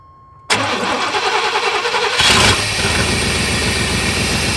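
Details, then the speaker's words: 1990 Chevy Silverado C1500 (OBD1) after replacing the coolant temperature sensor, ice cold at about thirty degrees: quick crank that catches at once, brief rev flare, then smooth steady idle without throttle, fixing the earlier hard cold start and rough running. "alright guys it started right up I haven't touched the gas and it's running great so that was it"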